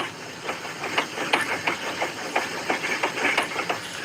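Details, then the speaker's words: 2013 Chevy Sonic front end making sharp, fairly regular knocks about three per second; it sounds like a tie rod, but the cause is not confirmed. "You know, I don't understand why I never did this, but here's your front end making noise."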